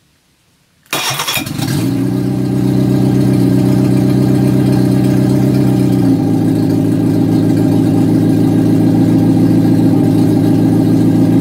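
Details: Reliant engine for a Fox that hadn't run in years, started on garage floor after ignition improvements, running on fuel in the float bowl; catches at once, rough for a second, then smooth even idle; healthy running.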